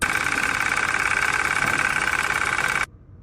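Idling engine with a busy metallic knocking, roughly three beats a second, from a failing A/C compressor.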